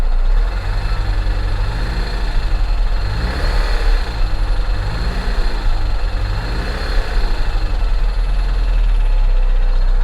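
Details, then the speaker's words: Flood-damaged car at auction, engine idling. An uneven light rattle rides on a low idle rumble, wavering rather than strictly timed. It could be an engine problem, something stuck in a pulley, or failing front pulley bearings; hard to isolate, not confirmed. "wonder something is stuck in one of the pulleys or if it's got a bad pulley it sounds like an engine issue but it could just as easily be bearings going out in one of these front pulleys over here really difficult to isolate"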